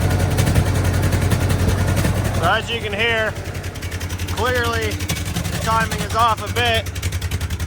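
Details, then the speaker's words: 1970 International 434 tractor, points and condenser fixed, timing disturbed: lumpy idle that misses, sputters and spits irregularly; distributor loosened and rotated to find the smooth spot. Misfire from retarded ignition timing. "I'll just rotate the distributor a little bit back and forth in order to find uh the spot where it wants to run and not miss and sputter and spit"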